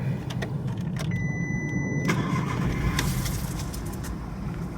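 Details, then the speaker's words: Mk4 VW Golf after an aftermarket coil was fitted and codes reset: it cranks, catches, then idles lumpy with an irregular stumble; the misfire continues, first with no codes, then the engine light comes on, pointing to an ignition coil misfire. "still misfying definitely engine light's not come up I should definitely miss firing let's come up with no codes at the moment he's definitely got a misfire"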